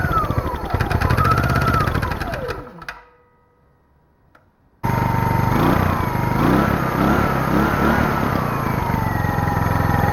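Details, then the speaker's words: Small generator engine, sat for years in a pumphouse, air filter off, choke sprung on: revs sag and stall within three seconds, then restart and hunt; bogging, owner suspects choke or rich running. "i will start it the choke is springed to the on position so it's kind of bogging because of that"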